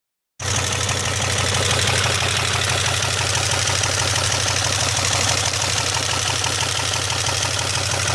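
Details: 2002 Pontiac Bonneville SE at idle after an hour-long 75 mph drive; oil pressure gauge read zero for much of the drive and it sounded like a miss. Now a loud, rapid, constant metallic knock about three per second; engine knock, source unconfirmed.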